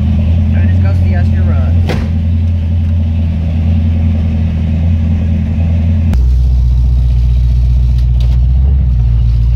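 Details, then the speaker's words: 1978 Pontiac Trans Am 400 V8 (X7 block, 6X heads), idling after timing set to 18° and vacuum advance reconnected: deep even burble, steady low beat, idle slightly high then dropping after adjustment; runs smooth and healthy. "so the timing came on came out bought on a car ran perfect the idle little high but I made some adjustments and overall it came out pretty good"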